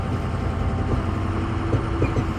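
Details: 2006 Ford F-250 6.0 diesel on a rough road before Energy Suspension cab bushing replacement: slow driving with low engine drone and scattered dull clunks from under the cab from worn cab mount bushings.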